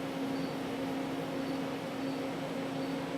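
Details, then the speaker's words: Milltronics VKM4 3-axis CNC mill with the spindle shut off and the table running a program: only a soft steady hum, axis drives silent and healthy. "so I'll shut the spindle off sick and here the drives running and you can't hear them they're silent"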